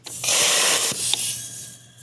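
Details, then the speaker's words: 2019 Hyundai Tucson GDI, about 130,000 miles, cylinder 2 misfire and rough idle: leakdown test at 80 psi holds only 10, loud rushing hiss of air fading off as the exhaust valve is stuck open. "yeah we're still at 10 so either way we're shot so doesn't matter what stroke we're on we're shot the exhaust valve stuck open"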